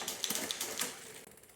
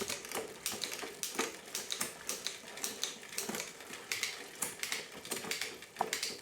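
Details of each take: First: The rubbing you can hear is these little bits of rubber still on the new tire. That's just pinging against the brake blocks here. You can hear those rubbing. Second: 1999 Diamondback Sorrento bike after rebuild with new chain, cassette and cables, rear derailleur adjusted by reducing cable tension: crisp regular chain clicking about three a second, shifting cleanly without grinding or skipping: normal rear derailleur shifting.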